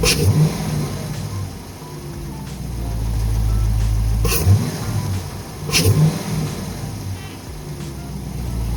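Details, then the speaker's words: 2019 Dodge Charger RT 5.7 Hemi V8; deep idle with quick throttle blips, each bringing a loud hollow induction roar, running fine. "Did y'all hear that shit? Sounded like a vacuum. Straight up, makes a difference."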